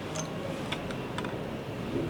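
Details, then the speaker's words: DJI Air 2S with a known-good gimbal camera assembly fitted to isolate a gimbal fault: soft irregular ticking and faint motor whir during startup self-check, no grinding or buzzing; gimbal self-stabilizes normally, fault lies in the original gimbal. "Now the P motor is active. No abnormal sound The gimbal is powerful PTZ can be self-stabilized"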